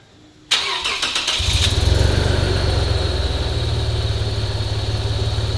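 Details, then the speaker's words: 2011 Lexus IS 350 F Sport, first start after fitting an RR Racing Stage II supercharger kit with MicroSquirt-controlled port injection: cranks, catches, then a shaky, lumpy idle loping about three times a second; rough running, cause unchecked. "the car is very shaky he doesn't seem to be running right but i'm also supposed to let this thing idle for half an hour before even driving it so you can see everything's working though it's very shaky"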